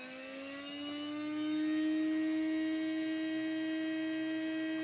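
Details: Heljan Class 23 model locomotive motor, removed and bench-tested on a test circuit with an ammeter while investigating slow, clunky running. Clean steady whir rising slightly in pitch, then holding even, no grinding or ticking. Motor healthy, not on its way out.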